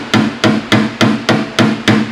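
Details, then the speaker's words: Seven even hammer taps on a car door panel, each a dull hollow knock from hammering off the dolly to lower high spots, unlike the ping heard on the dolly. "a very hollow sound i want to be off the dolly more than on the dolly"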